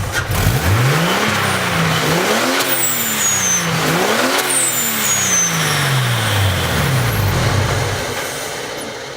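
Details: Garrett 60-trim T4 turbo with .70 turbine: engine blips up and down while a shrill siren-like whistle sweeps high and falls after each rev; turbo has heavy radial and axial shaft play, needs rebuild.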